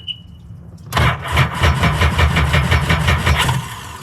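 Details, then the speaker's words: 2005 Sea-Doo GTX engine that got filled with water, drained and cranked: a heavy, labouring crank with uneven thumps that never catches. Owner suspects no spark in all three cylinders, bad spark plugs, or something broken. Rough cranking with water in engine. "yeah that didn't sound good whatever that was didn't sound good yeah something's broke it's cooked"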